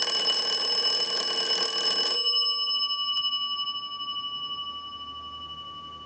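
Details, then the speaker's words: Wood wall crank telephone during initial checkout and repair/conversion: fast metallic bell ringing about four strikes a second, stopping cleanly with faint tone left; the ringer works properly. "I'll let it go one more time and we'll give you some dial tone."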